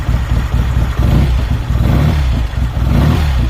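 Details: 1970 BSA Thunderbolt 650 twin, running during work on burnt-out wiring, throttle blipped: deep, lumpy beat rising and falling, pulling cleanly with no misses or knocks; normal revving.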